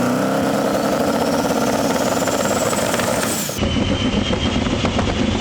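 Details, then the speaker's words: Belt squeal just after start-up over a rough idle: the alternator mount has lost one of its three mounting points after a stud snapped, so the belt squeals. "so when i started right now you can kind of hear it squeal a little bit because it's not like it's got two other points but it's not three point you know"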